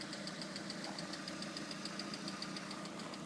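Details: Lada Priora: light metallic ticking about seven times a second at idle, present only when hot, since a -40° start. New INA lifters and camshafts didn't cure it; alternator, pump and bearings are ruled out; the owner suspects a piston. Runs smoothly, full power, good oil pressure.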